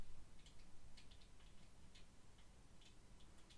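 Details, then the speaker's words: ZSA Moonlander big triangular thumb key after the stabilizer mod (grease, tape/sheathing around the stabilizer leg): soft, muted clacks with no tinny rattle, not a massive improvement but the rattle is gone. "I mean, not a massive improvement, but just gets rid of that."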